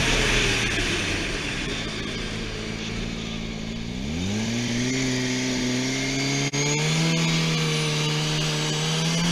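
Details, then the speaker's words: Twincharged engine, day two full-throttle runs, boost running away even on wastegate spring, about 20 psi: pitch climbs hard, then sharp pops and brief cutout hitting boost cut; knock found earlier and fixed, conservative timing. "it was hitting boost cut like crazy when you hear that popping so um a lot of boost"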